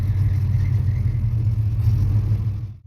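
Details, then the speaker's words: 1971 Plymouth Roadrunner with a 383 V8 and 4-speed pistol-grip manual, idled down and only partly warmed up (owner calls it cold-blooded, with a slightly funny carb). Deep, rumbling idle with a slow uneven rise and fall. This is normal cam lope. "Let me see if I can get this to idle down a little bit. There, maybe you guys can hear it a little bit better. It's got a nice cam lope to"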